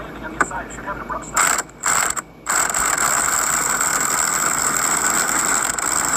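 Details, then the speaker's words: Cheap 1200 W impact wrench (rated 700 Nm) pressing on a wheel hub bearing: continuous rapid hammering buzz with a high whine under sustained load; owner unsure whether the strained, about-to-break sound is normal. "That sounded like struggling to me and it sound like it was about to break. I was worried it was going to break it. I don't know if my impact wrench is supposed to sound like this,"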